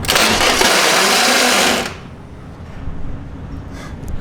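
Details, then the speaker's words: Just after a fuel pump replacement, the starter gives a harsh metallic grinding whir under two seconds with no engagement or firing; a starter tooth is suspected sheared, with the flywheel ring gear possibly stripped and still to be inspected. "so uh as you guys know uh sounded like we blew a tooth off the started before and now I think it's sheared hopefully the fly's hopefully the flywheel is good"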